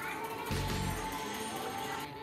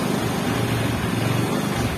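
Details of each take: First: Yamaha Xeon GT125 scooter that had been hard to start, after its spark plug was cleaned and sanded: the engine starts instantly on the electric starter and settles into a steady, even idle. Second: Xeon GT125 scooter with hard starting, won't start on the starter, runs with an uneven, stuttering rumble only while the throttle is held and dies when it is released; fouled spark plug.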